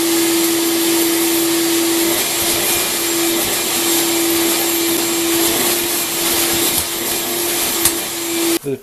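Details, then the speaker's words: Craftsman 12-gallon wet/dry shop vac after cleaning debris out of the clogged fan blade and opening the baffle: steady airy rush, faint constant hum, no howling siren; strong suction, running normally. "now that when i cleaned out the fan blade and got all the plugging out of the fan blade it stopped being a siren and went back to just moving air so it's not anywhere near as noisy as it was"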